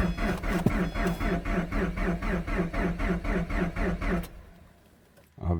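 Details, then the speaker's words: 2010 Subaru Forester 2.5 JDM replacement engine at -25 °C after a night sitting: starter cranks evenly about four times a second for four seconds, never catches; no spark despite RPM signal and injector command; new starter later fixed it. "well we're gonna crank it and see if we have spark now I gotta replay this well that's special it's got no spark yet we had a RPM signal and injector command"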